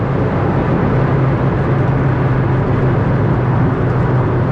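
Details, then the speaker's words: Nissan March 1.6 cruising on highway around 130-140 km/h at roughly 4000 rpm, cabin recording; steady low drone with ~130 Hz hum under constant wind rush, normal noise but poor soundproofing. "Besides showing you the speed as a function of RPM, I wanted to show you the car's soundproofing, which I can tell you without a problem."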